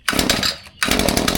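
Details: Echo 2620TS string trimmer, cold start with prime and choke: it fires, nearly dies, then catches and runs rough and choppy, stumbling and bogging; it normally stays running, and the cause has not been found yet, with fuel checked first.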